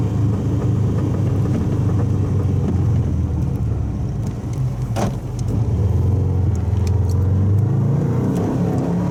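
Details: Old Subaru wagon with an X-Force straight-through fiberglass-packed muffler, heard in the cabin at steady freeway cruise around 100 km/h, 3,000–4,000 rpm: deep constant low booming with no knocks. Exhaust drone from the straight-through muffler.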